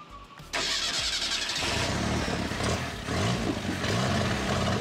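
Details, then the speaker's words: Ford Pinto abandoned 30 years, fuel pump fed from a gas bottle: steady starter churn turning the engine over without catching; pump is sucking gas but hasn't filled the carburettor bowl yet, so it won't fire. "we're gonna try to crank it hook to the fuel pump see if we can get this thing filled with some gas here"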